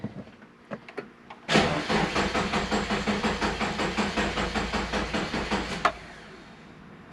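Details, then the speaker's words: Subaru Impreza GF8 after replacing old fuel pump with new Subaru pump: pump heard priming, then starter cranks evenly for about four seconds and the engine catches; normal cranking and starting. "I can hear the pump engaging back there so that's a good sign"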